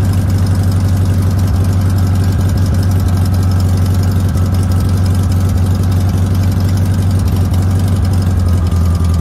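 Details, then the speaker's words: VW Notchback, sat since June 2020, test drive after rebuilt 32 PHN-1 carburetor lacking accelerator pump parts: steady fast idle, deep drone with slightly uneven beat; idle set high as it won't idle lower, running poorly. "all right here we go on a test drive and notch bag with a rebuilt carburetor and it doesn't seem to be doing well"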